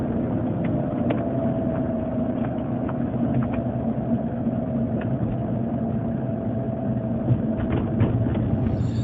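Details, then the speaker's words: Land Rover Range Rover L322 with air suspension, cabin while driving at about minus 30: steady mid-pitched drone over road rumble; owner is sure it's a bearing but unsure where, far worse in cold, barely audible above freezing; unconfirmed bearing whine. "it's a bearing noise for sure uh but I'm not quite sure where where it's coming from it's a lot worse in the cold"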